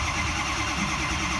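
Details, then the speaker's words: 2005 diesel truck, 115,000 miles, no-start after the owner's head stud job. Steady, even cranking drone with no firing while watching ICP. Low injection control oil pressure no-start; suspected broken branch tube or empty oil. "Here we go. We got low pressure. See what we got. Hang on. Nothing yet."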